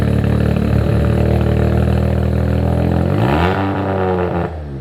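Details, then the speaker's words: Abandoned Mazda RX7 rotary with new full exhaust, untuned, no timing in map: fast, even, buzzy idle well above normal, pitch then falls; no brap until cleaner tune of idle, fueling. "Car sounds good. We are not really gonna get the brap noise up until we get a little bit of a cleaner tune on here, and that's mainly just due to where the idle's at, timing."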